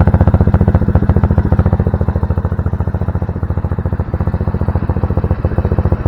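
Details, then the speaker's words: Honda Navi, carb rich-running fixed by intake, rejetting and carb adjustment; started after sitting about 3 hours at about 58°F, no choke: steady, even putting idle with no hunting or missing, normal idle. "Runs pretty nice now. Alright, so I'm going to start it up. The bike hadn't ran for about 3 hours now. Starts right up, no choke."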